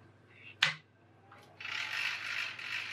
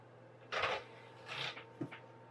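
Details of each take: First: PS2 DVD drive whose tray came out and went back in by itself: short clicks then dry, uneven rattling as tray gears engage; owner suspects the cogs. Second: PS2 DVD drive, sold as not reading discs and tray constantly reopening, after cleaning and replacing the drive band: three quiet tray-motor whirs ending in a soft click, tray stays open without pulling back in; normal operation.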